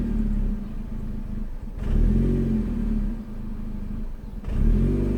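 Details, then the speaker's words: 2006 Chevrolet Cobalt SS at idle after throttle body replacement, during the idle relearn: the engine surges up and settles back about every 2.5 seconds, still hunting but less than before. "okay it's still it's still bouncing [Music] not as bad though maybe it is working I don't"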